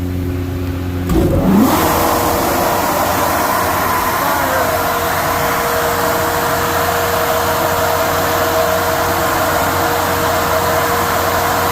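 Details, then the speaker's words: Gas-fired farm grain dryer, generator-powered, test run after a fault code was fixed (code cleared), set for brief dry and cool time: after a start-up surge, a loud steady fan-and-burner roar settles in with no rattles or surging; working properly. "We're good. Everything works."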